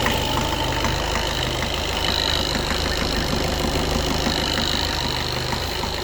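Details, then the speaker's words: Skoda Octavia A7 2013 1.6 TDI, 188,000 km, cold at 21 degrees. Steady light knocking about three per second over the idle clatter; the knock disappears after warm-up. "Після прогріву машинка починає робити нормально, ніяких проблем. Поки холодно, стукаємо."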